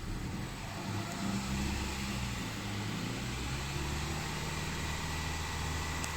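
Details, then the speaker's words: 2013 Hyundai Sonata 2.4L four-cylinder at first start after an engine and transmission replacement, coolant not yet circulated and check engine lights on: a low, steady hum with an even idle and no knocks or misses. Normal running. "okay so it's not sounding bad let's go out here and uh see if we can get it to stay idle"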